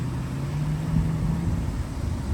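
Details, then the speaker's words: 2005 Cadillac Escalade ESV Platinum V8 during pre-purchase inspection, after sitting: steady low hum with even rumble, no ticks, knocks or radiator hiss; smooth healthy idle. "the radiator is not hissing it's not making any noise it's not making any funny sounds none of that is happening um it's running guys you can hear it for yourself that it's running"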